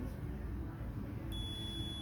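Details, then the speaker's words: Gooseneck desk lamp replacement 3-pin KCD1-101 rocker switch (250VAC 6A/125VAC 10A) on a multimeter continuity test: steady beep across one pin pair with the switch off, so that pair is unsuitable and the other two pins are used. "you see that even though the circuit is off it is on so you do not want that"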